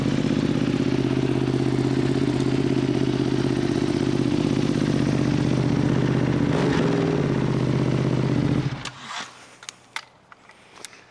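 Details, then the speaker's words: Rebuilt, previously wrecked Ducati V2 Bayliss. A loud, even, lumpy twin idle with no misses or knocks before shutdown; healthy. "She runs, finally, after 3 or 4 months."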